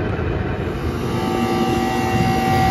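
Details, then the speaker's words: York rooftop unit after a breaker-tripping fault was repaired: thermostat wires jumped to R (Y1, G, Y2), then the unit is powered up. Steady fan rush over an even compressor hum as first stage runs normally, then second stage comes on. "running first stage and there goes the second stage"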